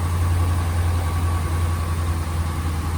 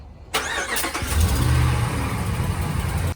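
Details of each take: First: 2015 RAM 1500 5.7 Hemi, warm, after replacing broken exhaust header bolts: smooth even low rumble at idle, with no more of the cold-start ticking from the exhaust leak. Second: 2015 RAM 1500 5.7 Hemi on cold start, before repair: engine settles into idle with light quick lifter-like tick over the rumble that goes away when warm; exhaust manifold leak from broken header bolts.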